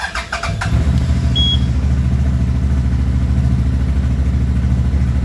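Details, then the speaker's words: CF Moto 800XC ATV with a charging issue, started after replacing the stator charging controller: a starter whirr, then it catches within a second and settles into an even, steady idle with no misses. "So we're going to start it up and see if that's it."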